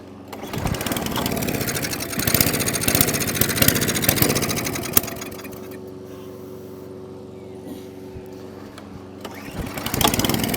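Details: Atco Balmoral cylinder mower, unrun for 9 years, oil black but at level: small engine catches on carburettor spray in the carb throat, runs rough a few seconds, then dies; dirty carburettor needs removing and cleaning.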